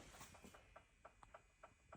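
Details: Ferrari 360 left weeks without a tender, battery apparently dead, trickle charger connected, immobilizer and windows unresponsive: faint sharp ticks about three times a second in a quiet space; repeating relay-like clicking, owner hopes it is just charging.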